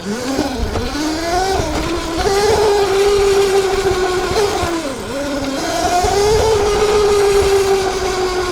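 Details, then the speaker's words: ETM RTR Revolver electric bike with upgraded Alpha motor and 420 chain, riding: motor whine climbs and falls with throttle, thin metallic buzz rides over it on throttle roll-off; cause unclear. Metallic buzz on throttle lift-off. "Yeah, that noise right there when you let off the throttle and it sounds like a metallic buzz or something. It's just weird."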